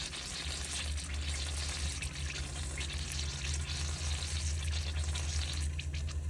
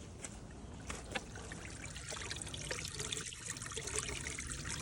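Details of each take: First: Irregular gurgling and spitting over steady pump hum as a Hygger pond pump is switched on briefly while repriming with irrigation feed and bypass open; intake line still bleeding air, bubbles later stop. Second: Hygger pond pump after bleeding, plugged in for real with bog filter bypassed: steady trickle and gurgle through the pipework without sputtering or air gulps; primed and flowing normally.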